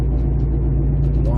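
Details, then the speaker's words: 2008 Jeep Compass, front passenger-side wheel bearing, heard while driving: a low, steady hum and faint rising whine under road rumble that nearly goes away when cornering unloads the bearing; returned after tightening a loose bearing nut; worn wheel bearing. "humming noise is and you can tell by doing your turns and it depends on which way you turn and which which side gets quieter because what's happening is you're taking a load off the bearing when you're turning"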